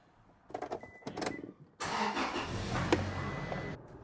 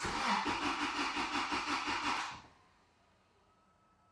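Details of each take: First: 2006 Toyota Tacoma 2.7, previously stalling and lean (P0171), after fix including new filter, second test drive: steady, even engine note with road noise, no stumble, surge or misfire; running smoothly, no fault codes afterward. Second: 2006 Toyota Tacoma 2.7, crank no start, lean (P0171), during fuel pressure test with gauge on line: two bursts of even cranking near three beats a second, each catching briefly then dying; lean stall.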